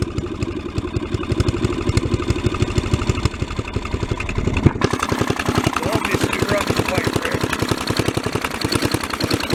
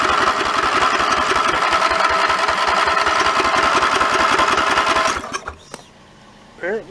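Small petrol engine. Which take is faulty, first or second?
second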